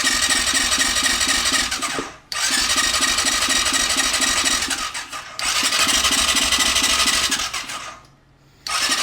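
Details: Suspected 2020 CF Moto 400 ATV, sold as blown engine: three 2–3 second bursts of steady starter cranking, never catches; cranks but won't start. Spark seen, fuel pump not coming on, air filter removed; cause unconfirmed.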